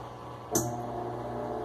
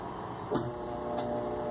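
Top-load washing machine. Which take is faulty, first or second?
second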